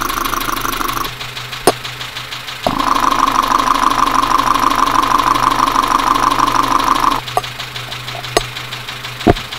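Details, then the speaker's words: Dacia Sandero with the Renault D4F 1.2 petrol engine, recorded through a stethoscope at idle. A steady rapid knock about three per second; a severe bottom-end knock, suspected to be a spun bearing from low oil, unconfirmed. "so we've hooked up a recorder now put the headphones on and we'll see if we can get a recording of this engine knocking sound so here we go [Applause] so you can clearly hear the knocking"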